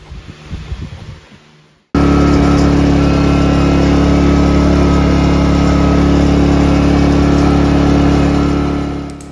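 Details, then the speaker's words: Portable Ryobi 2300W/1800W inverter generator that surged and idled rough, restarted after carburetor cleaning: it settles into an even, steady hum with no surging, running really smooth. "generator is running really smooth that is music to my ears"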